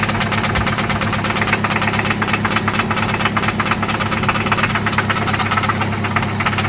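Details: 1995 Toyota Celica ST idling after an oil change and spark plug replacement: a loud, sharp, rapid ticking knock over an even idle, a steady beat; it seems to come from one spot, and its source still needs tracing.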